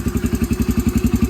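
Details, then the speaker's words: Yamaha TTR125 after cleaning gelled old gas from carburetor: single cylinder idles with steady even thump about ten times a second, no misses or knocks; running normally. "little bit longer than I wanted it to to get fired up I guess it's just really dried kinetic get it all that work just right around some seems to be running good"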